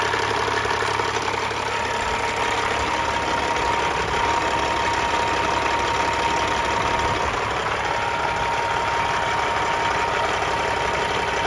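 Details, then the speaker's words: 1999 Freightliner FLD120 with a rebuilt Caterpillar 3406E (head, injectors, turbo, pistons, liners redone), 13-speed, after about half an hour of running: steady even diesel clatter at idle with a deep unchanging beat, no misses or knocks; healthy idle. "I'm going to get it started up we'll have a listen nice sound of a kitty cat"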